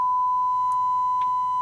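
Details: Marantz 2250B receiver after pre-amp section repair and power supply switch issue: steady pure tone around 1 kHz on left and right channels, no hum, crackle or dropouts; audio output clean.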